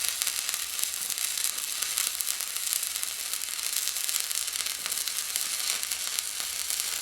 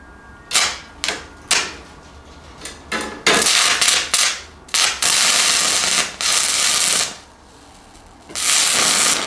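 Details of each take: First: Fronius TransSteel 2200 stick welding an 1/8 in 7014 rod at about 107 amps: even, steady crackle and sizzle, no popping or sputter; smooth-running weld. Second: Fronius TransSteel 2200 running a 1/8 in 6010 rod hot: harsh crackling arc repeatedly drops to silence; the machine keeps shutting off, since it cannot run 6010 well.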